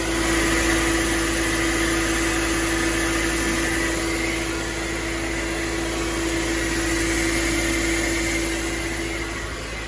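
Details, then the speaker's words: Mercedes ML500 W164 idling after replacing leaking oil cooler O-rings: smooth, even hum with no knocks, ticks or misses; no leaks, runs healthy. "So anyway, it looks like I got it running. There's no leaks."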